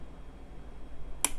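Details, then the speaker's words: 1970s DeJay solid-state AM radio/phonograph kids' player, power switch with its broken knob rebuilt with epoxy; one crisp, sharp click over a quiet low hum as the switch snaps on cleanly; switch works normally. "you hear it clicked on. It's solid state. There's no tubes."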